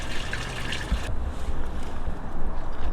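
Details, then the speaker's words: Grey waste tank on a Lowlander Deluxe motorhome (Fiat Ducato) drained by pulling the lever under the storage locker: water rushes and trickles out in a steady, uneven flow with soft splashing; tank empties freely, normal. "i'm just going to pull that out and you'll see your water flowing out there there's no sewage or effluent in that um that water that can just be down a standard drain"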